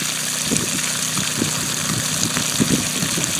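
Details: Generator running a well pump while testing a new well: steady engine drone with slightly labored even tone under the pump load. Running normally under load.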